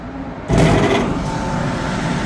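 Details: Indoor AC blower motor run directly via contactors with amp clamp, drawing about 10.6 A: starts up rough and abrupt, settling into a rushing hum, motor visibly flexing; worn bearings suspected as the problem.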